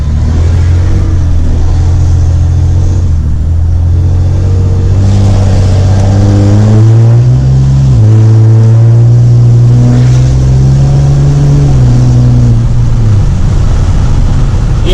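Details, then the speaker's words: 6.7 Cummins diesel driving after installing a Smeding S369 SXE non-VGT turbo, less deep and rumbly than a second-gen swap: the diesel drone climbs steadily in pitch under acceleration with no surge, flutter or shrill whistle, healthy turbo spool. "it's not as rumbly loud like deep as a second gen swap but it sounds pretty good when i turn i'ma see if uh you guys can hear it when i turn"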